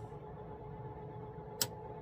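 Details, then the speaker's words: Gas furnace after replacing a bad ECM blower motor, tested by holding a tool in: smooth, even low-speed fan rush with a steady low hum and no rubbing or rattle; the new blower runs normally. "OMG it's working you hear that that's the sound of a blower motor on well low speed because it's on the"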